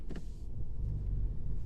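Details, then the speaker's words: 2016 Range Rover Sport Supercharged 5.0L V8 shifting into reverse: short rasping clunk/grind then steady idle rumble; owner suspects bad motor mounts, driver side, letting the engine shift. "you can hear a grinding sound that's not good I think it's uh the way that the engine is engaging with the transmission"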